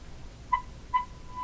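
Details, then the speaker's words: Philco Model 42-322 tube radio with very weak shortwave reception. A strong test signal near 15 is fed in while the misaligned IF stage is adjusted; the thin test tone chirps, then settles into a much louder, stronger steady note as alignment improves. "it's much louder much stronger and I'm slowly fixing it just by fooling with it"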